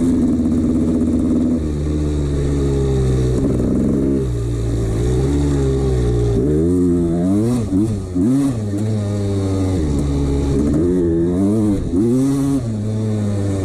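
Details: 1989 CR250 two-stroke revving up and down with a hollow metallic rattle under the exhaust note; worn piston slapping in the bore, ignored by the owner.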